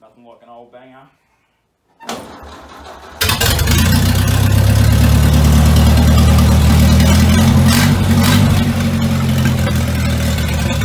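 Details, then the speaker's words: Traditional Ford hot rod ("Doris") brought out of the shed after storage: old engine fires straight up on first crank and settles into a steady, even idle with a deep rumble, no misses or knocks; normal cold start. "Let's move this old girl out so I can get to the back. You listen to this old girl fire straight up."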